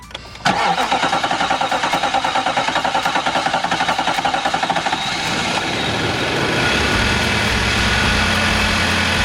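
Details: 2019 Nissan Titan V8: five-second even starter churn before catching into a rough idle; hard start, code P0725, battery ruled out, suspected crankshaft or camshaft sensor, fuel pump possible though it primes consistently.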